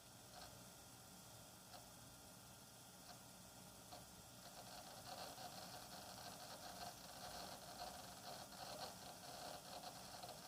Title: Hard Drive weird noise